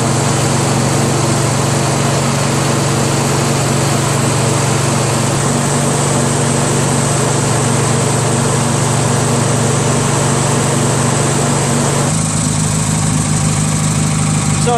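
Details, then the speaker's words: Craftsman DYT4000 tractor, 14hp Briggs opposed twin repower; PTO kept stalling until belt tension released, now engaged: smooth constant engine hum, brief shift around twelve seconds, no stumbling, charging about 12.2-12.45 V at low idle; healthy with blades engaged. "I'm going to put the PTO on now installed keep stalling I took the tension off let got the PTO and now the PTO is on"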